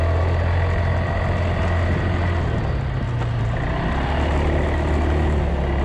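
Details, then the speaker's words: Polaris 300 Sportsman quad just started after drive belt replacement, rear bushing and new coil, warming up in the rain: low, steady drone with an even beat; idling smoothly and warming up normally. "so we'll start her up let it warm up and then i'll take a spin after"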